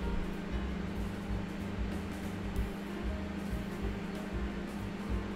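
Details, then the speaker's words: Midea MG820CG7-2 800 W microwave after repair, heating water: steady low mains hum, high voltage now present and heating normally; earlier hummed without heating due to open 47-ohm resistors and burnt relay contacts. "напряжение появилось всё наша вода задымилась микроволновка работает"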